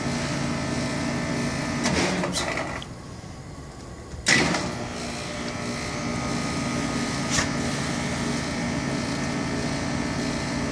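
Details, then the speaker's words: Heat pump outdoor unit running all night with house at 61°F, giving a steady hum with a busy, rattling mechanical whir over it. "okay this is what it's doing its 61° in the house this morning my daughter's has been doing this all night because it's outside her bedroom window"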